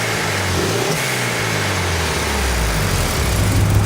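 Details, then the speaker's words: Mitsubishi Evo, turbo, with a blow-off valve, untuned: after a rev blip and blow-off, revs settle into an even, steady idle with no hunting or stumbling; healthy engine. "obviously after it blows off, you can hear it levels out and idles fine again."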